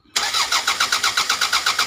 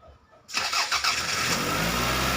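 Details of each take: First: Toyota Caldina 1AZ crank no start for 5 months: the starter cranks steadily at about seven compression pulses a second and never catches. The cause was a blown EFI 20A fuse. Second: Toyota Caldina 1AZ that would not start for 5 months due to a blown EFI 20A fuse: after fuse replacement, the engine catches cleanly after a brief crank and settles straight into a steady, even idle with no misses. A healthy start.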